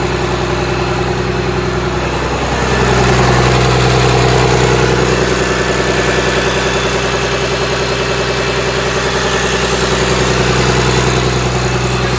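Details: Komatsu SAA6D114E3 diesel in a PC300-8 excavator after overhaul: even steady beat with brief rev rise, then smooth settled idle, no knocks or rattles; sounds healthy.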